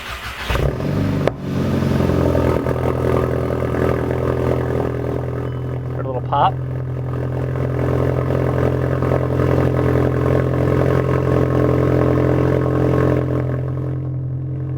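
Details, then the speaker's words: VW GTI after a CTS turbo downpipe install, first start with the battery disconnected: brief crank, catches cleanly and settles into a steady, even idle with a smooth low hum; exhaust noted as louder; normal start and idle. "seems pretty decent right now it started I'm happy with that"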